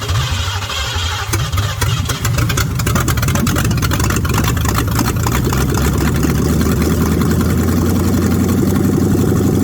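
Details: Ford Mustang 302 V8 pulled from barn, float bowl filled, sticking throttle freed: deep, even burble settling into steady idle with no misses, ticks or knocks; oil pressure 50 psi, runs surprisingly well, healthy idle.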